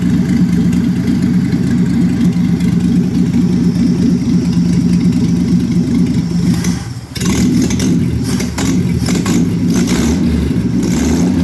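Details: 1966 Chevrolet Impala 250 cid inline-six petrol engine idling rough with a lumpy, uneven low beat; cause not identified.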